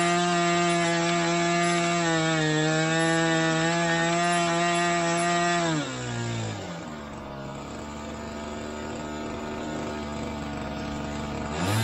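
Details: Engine in Ewan's Limbo Dancer model plane on its first engine run-up, needles opened a bit: a high-pitched howl holds steady, then drops to a lumpy, burbling low idle. Very rich at the bottom end; top end not too bad, with a bigger prop limiting RPM.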